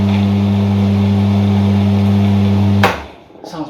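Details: AVA P70/P80 pressure washer after warranty repair, new pump installed with ISO 46 hydraulic oil, run briefly dry with no water: a steady, even motor-and-pump hum, no knocking or rattles, then switched off; smoother and quieter than the old pump, normal running.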